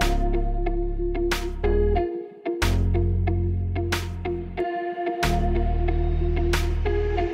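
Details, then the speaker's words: Honda Brio upgraded from single horn to dual horns wired through relay and fused battery feed: loud steady two-tone blasts about two seconds with short gaps, rich even pitch, BMW-like. Normal horn operation. "Rasanya seperti di Eropa, kawan-kawan. Sekarang ini sudah seperti mobil BMW."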